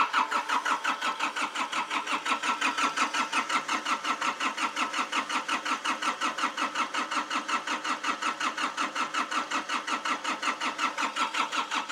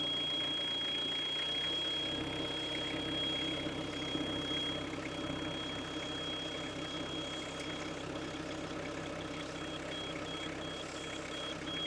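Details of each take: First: Hitachi EX55UR excavator, diesel, sitting a year with broken boom, seat off: steady starter cranking about three compressions per second for twelve seconds, never fires, then stops; cranks, no start. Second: Hitachi EX55UR mini excavator diesel, sitting a year with a broken boom, just started cold with starting fluid; steady even clatter at low idle with no misses, a normal cold idle warming up.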